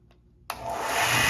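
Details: New Grizzly H8192 1x42 belt/disc sander, first startup after assembly to check tracking: motor spins up from silence within a second to a steady even belt whir, no knocks or rubbing; running normally.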